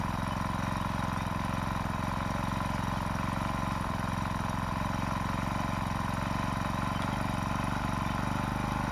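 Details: Honda four-stroke brush cutter (HHT35S/HHT25S), started by pull cord after priming the fuel bulb 3–5 times with choke up; fast, even buzzing run, steady rapid firing, no misses or knocks, running normally on choke.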